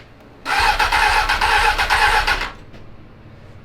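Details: 2003 Honda 919 (919cc, liquid-cooled, fuel-injected) parked for years, new battery fitted: starter cranks quickly and evenly, about three beats a second for two seconds, no firing; cranks but won't start.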